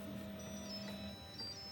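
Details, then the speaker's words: 3D printer after loading filament: a steady pair of electronic tones holds about a second then changes pitch, the chime it makes whenever a process such as printing or filament loading completes; normal. "whenever you hear that noise that means that something has come um completed the process so whether you're printing or loading filament it always makes that noise"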